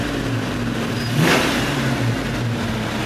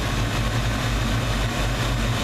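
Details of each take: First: 1992 Ford Mustang 5.0 V8, warmed up: even idle into one clean rev, smooth, no knock or misfire; cold starts show piston knocking that fades once warm. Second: 1992 Ford Mustang 5.0 V8 with a failed distributor pickup and piston knock once warm. Deep, rumbling idle with a faint uneven dip roughly every half second; mild stutter, suspected debris on the pickup's backside.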